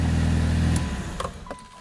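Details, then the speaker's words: Mitsubishi Evo 8 turbo four-cylinder, refueled fresh after draining bad fuel, wheels off; deep smooth rev with no rasp or ticking leak, dropping away cleanly; exhaust sounds healthy and tight, manifold not leaking. "I thought it was going to be all raspy no it sounds pretty decent"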